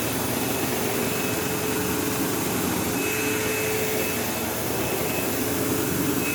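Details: Sebo Automatic X5 vacuum: loud steady motor roar with a buzzing tone and occasional squeal like a slipping belt, though it has no belt; brush roll vibration suspected, unconfirmed.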